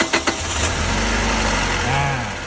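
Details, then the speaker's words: Toyota van, 2.7 VVT-i petrol engine with factory CNG, heard at the exhaust after replacing an ignition coil that caused misfiring: even, steady idle with no misfire or stumble, running normally again. "นี่นะครับเสียงท่อกลับมาเป็นเหมือนรถปกติแล้วนะครับ"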